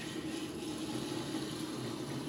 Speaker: Now, if you listen, you can hear the pump. That's the way our pump always sounds. And that's what you want to make sure your pump sounds the same as it always does.